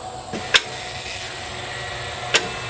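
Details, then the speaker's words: John Deere 5065E tractor, battery tested good: two sharp isolated clicks about two seconds apart when the key is turned, then no cranking. The solenoid receives power, but the starter motor is likely dead. "seems like a good bet that the starter is is not working that seems like the most likely scenario since everything else seems to be functioning properly and it's the starter that's just not kicking in and doing its job"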